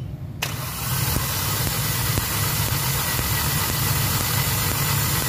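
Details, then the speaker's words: Hyundai Accent petrol engine cranks, catches and idles unevenly with engine vibration, no power and a blinking check engine light, faint tick about twice a second; codes P0300/P0301/P0302, weak or no spark from cylinder 1 ignition coil, electrical fault. "After natin ma-test na walang spark ang kanyang independented coil number one. So ibig sabihin may problema talaga yung electrical."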